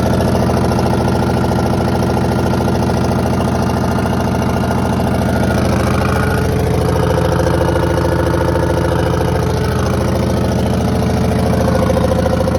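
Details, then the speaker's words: 1982 Silver Eagle tour bus, Detroit 6V92 two-stroke diesel, parked 6–10 years: steady fast even thrum at idle, no knocks, misses or death rattles; normal idle. "so we do know now that uh the engine does run doesn't have any death rattles or anything"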